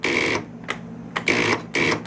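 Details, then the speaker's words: Arctic Cat ZL600 snowmobile, first crank after a top-end rebuild: short, buzzy starter chatter with no cranking. Owner suspects a loose connection or a dead battery and plans to bolt down a loose wire. "hey guess what we got a loose connection i think hear that we got a dead battery one or the other that could be one of the problems"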